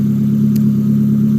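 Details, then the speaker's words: Nissan SR20DE just reassembled, warming toward operating temp: short steady idle, even low hum with no knocks or misses, one brief tick; throttle responsive; normal idle. "It runs good. It's throttle responsive. It sounds like it's idling nice."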